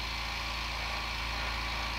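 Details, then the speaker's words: New oil-less compressor for airbrushing, first fill after unboxing: fast even buzzing rattle at steady pitch with constant hiss on top, quiet enough to talk over; healthy compressor filling its tank. "I think this is gonna work out okay for while I'm airbrushing so you can hear me talk"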